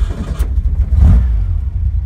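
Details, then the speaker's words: 1965 VW Beetle, rolled over, with a freshly built 1835 air-cooled flat-four on dual 44 carbs, a new Sidewinder exhaust and only about 600 miles on the rebuild. A short crank, then a deep, even rumble that catches cleanly and idles well. This is a normal start. "hear it really does fire up really nice. Idles well. Sounds really good."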